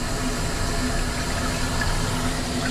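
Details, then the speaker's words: Hoshizaki ice maker after drain pipe retrofit: steady rushing hiss of water filling the reservoir for 60 seconds, with no knocking or chatter; fill is normal. "It's going to fill for 60 seconds to the water reservoir."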